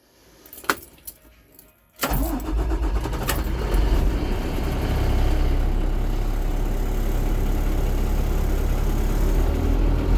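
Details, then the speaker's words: 2000 Thomas 3800 school bus, low-mileage DT466E diesel, started in about 100°F heat: brief cranking, then catches cleanly and settles into an even, steady idle clatter with no misses or knocks; normal start and idle. "good sounding DT466E. Low mileage."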